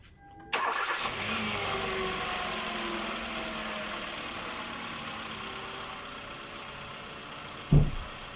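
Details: 2014 Kia Rio just after serpentine belt replacement and bolts tightened: brief crank, engine catches cleanly and settles into steady smooth idle with no belt squeal or chirp, belt seated correctly on pulleys: normal start and idle.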